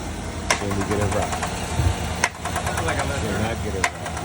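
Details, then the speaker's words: 2022 Chevrolet Silverado at idle before lifter and pushrod replacement: quick light ticking on top of an even idle, keeping time with the engine; noisy lifter, quiet after replacement. "But today I got a 22 Silverado. Got a lifter noise."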